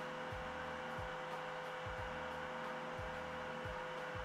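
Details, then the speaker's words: Creality K1 side fan: constant fan rush with steady mid hum, about 60 dB, peak near 800 Hz, lower than measured at the front because the acrylic panel resonates from fan vibration. "and 800 Hertz so it's a bit lower than what we got from the front of the machine which is expected because the acrylic plate is vibrating at a lower frequency"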